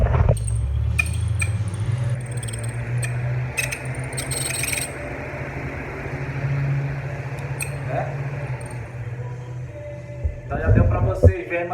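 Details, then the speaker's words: Britânia Turbo fan motor, run on a series test lamp: steady hum with irregular high chirps and dry scraping squeaks from a bushing with zero lubrication. "Tudo indica o seguinte. Claro que acabou a lubrificação, zero lubrificação."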